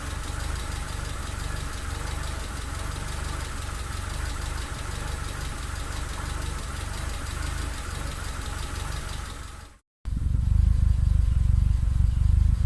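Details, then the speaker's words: Mitsubishi Lancer turbo idling with plugs, leads, coil, distributor cap and rotor, MAF sensor replaced and ECU swapped, temperature sensors in spec: lumpy, uneven idle stumbling and dropping out irregularly; persistent constant misfire, cause unknown. "it's still still running terribly and constant misfire so oh I'll show you a clip of that running next"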